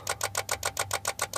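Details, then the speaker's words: Car with remote starter after auto-start attempt: sharp even clicks about seven per second from the fuse panel, stop when key is inserted; engine won't turn over; rapid relay clicking with no crank. "okay my wife's car she tried to use the automatic starter this clicky noise started to happen which turns off when i turn the ignition but the ignition doesn't turn over and there's a clicking noise coming from the fuse panel"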